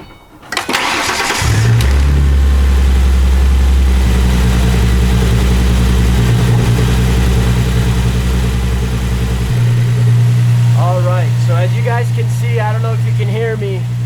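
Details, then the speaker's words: 2007 Ford Mustang V6 after replacing the belt tensioner pulley assembly (Gates) to fix a belt squeak: short crank, clean start, steady even idle, no squeal or chirp left. "there's absolutely no squeaking noise left in the car all right so that seemed to solve the issue there's no squeaking noises in the car anymore"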